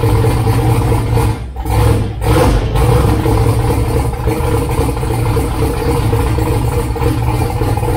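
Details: 2000 Camaro V8 with newly wired Holley Dominator EFI, just started: loud lumpy idle with an uneven, loping beat and deep rumble; running rich, needs idle tuning and fuel map work.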